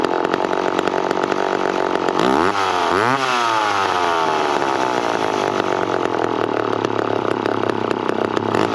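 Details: McCulloch Pro 10-10 Automatic chainsaw after cutting cookies off logs: blips up twice, then settles to a fast, buzzy idle that stays high instead of a slow putter; idle set too high, otherwise tuned well and oiling heavily.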